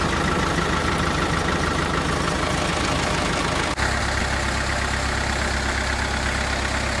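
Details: CAT/Perkins 3054C diesel on a wood chipper, unrun three years, idling after cold start following filter, fluid and corroded battery cable replacement, later found a couple of quarts low on oil: steady, even clatter, no knocks or hunting; normal idle.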